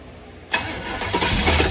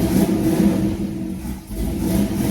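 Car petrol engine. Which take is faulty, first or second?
first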